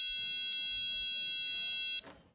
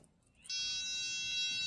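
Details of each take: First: Diagnostic power probe touched to ground under the hood of a car with a fan issue (coolant leak, temperature light): steady clear high tone for about two seconds confirms a good ground, after reading 12 volts at the battery. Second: Autel PS100 diagnostic tester in resistance mode, its two probe tips touched together: a steady high-pitched continuity buzz comes on and holds, confirming good continuity through the lead to the tip.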